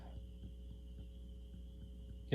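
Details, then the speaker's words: Harman Kardon 300B amplifier in phono mode: faint, slow putt-putt pulses at about four per second over a steady mains hum, an intermittent motorboating that comes and goes; a sensitive area needs securing, and a capacitor is possibly suspect. "picking up a motorboat over here went away dang okay well i think the customer will be just happy with this the way it is um i didn't hear that motorboating before maybe the other cap maybe it's sister cat needs to be"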